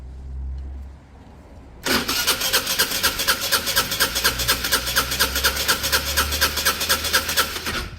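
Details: Peugeot Satelis scooter during restoration: steady starter churn with even compression pulses about twice a second, but it never catches because the spark plug is not fitted. A red lock/immobilizer light was flashing.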